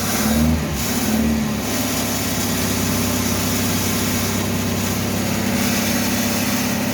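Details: 1974 Citroën DS21 revived after six idle years, first running with the air cleaner off. Held on throttle, its revs swell and dip unevenly with no settled idle, and it dies immediately when the pedal is released. Idle still to be adjusted.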